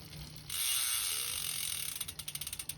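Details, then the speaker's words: Privateer 141 freehub, Shimano XT Microspline cassette on SRAM GX Eagle drivetrain, pawls packed with general-purpose automotive bearing grease that proved too thick: fast, slightly uneven high ratchet ticking, about four a second, while coasting in a middle gear, grease drag keeping pedals turning. "I use general purpose uh bearing grease you know basically like like an automotive bearing grease in in the uh in the in the pause and and it was actually too thick because you actually see it right now watch"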